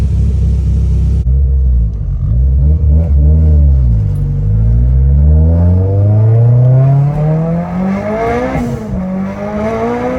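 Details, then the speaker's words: E85 turbo car after the tune was adjusted for a slightly lean idle and a fuel line leak that had made it run rich: even idle that climbs cleanly in pitch on throttle and settles back, no misfire or knock; normal idle and revs. "just like that Jack fixed the tune it was just running a little lean at idle"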